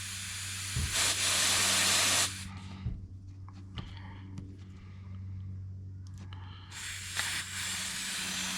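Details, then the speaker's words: 3D-printed reversible air valve fed with compressed air: loud sharp hiss of air escaping through the seal between valve body and cap; compressed air leak. "also I can feel air pressure coming out through everywhere in here through the seal between the body and the c"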